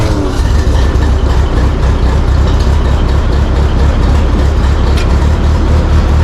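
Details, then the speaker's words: Ford 8N tractor on a very cold day, after carburetor adjustment, choke still on: deep, steady low-pitched chugging with an even beat and no misses or knocks; engine warming up and running on its own. "I think we might have got her adjusted, got her warmed up, and she's gonna run on her own."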